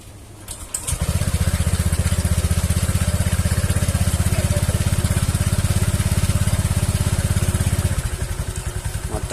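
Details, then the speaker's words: Honda Vario 150 scooter after CVT cover opened and refitted to cure a hissing/knocking noise at idle: engine starts and settles into a steady, even idle with no knocking, then revs normally; fixed. "Suara ketukan sudah tidak terdengar lagi . Mari kita coba menggebernya. Semuanya sudah kembali normal."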